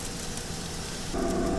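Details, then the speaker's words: Brand-new YCM CNC machine cutting at about 30% spindle load: a steady cutting hiss with chips pattering against the glass guard, chips breaking well with no strings. Normal, clean cutting. "And for all my lathe operators out there, machinists, man, you love the sound of chips hitting the glass. Because what does that mean? No strings."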